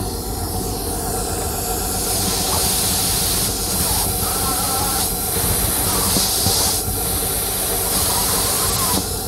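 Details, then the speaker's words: Engine running extremely rough with a loud steady hiss over low rumble, a vacuum leak; sound grew louder when probed lower underneath, pinpointing the leak. "i was getting a loud hissing sound and the engine was running extremely rough"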